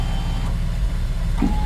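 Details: 2003 Porsche Boxster after fitting a second replacement window regulator: smooth, even motor hum as the glass runs down, with no clicking, grinding or catching; no funny noises.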